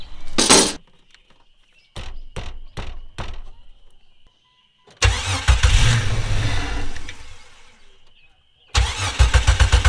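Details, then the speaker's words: 25-year-old Jeep Cherokee XJ after new exhaust at muffler shop: starter cranks in steady bursts but never fires, no fuel pump prime heard after starter pulled and refitted; crank no start. "okay I'm seriously not sure what's going on now because now we have uh crank no start I didn't hear the fuel pump"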